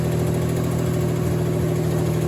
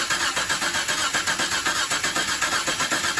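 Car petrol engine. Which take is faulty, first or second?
second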